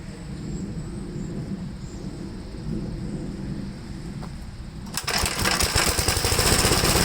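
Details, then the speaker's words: 1969 Gravely LI intermediate-speed tractor, small single-cylinder engine stumbling and sputtering with uneven misses while running rough; owner smells gas and suspects it is flooded, later confirmed flooded, with carburetor trouble suspected (possibly sticking needle and seat). "it could be that it is a little flooded let's check the gas back one I'm smelling gas"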